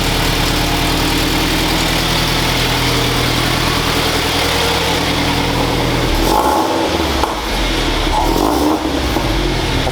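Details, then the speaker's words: 2012 Toyota 86 GTS, first start after installing Tomei UEL headers. The boxer engine revs with a raspy, chuffing edge to its rumble that fits an exhaust leak at the header joints; the crew suspects a leak. "like a leak doesn't it yeah yeah i thought so"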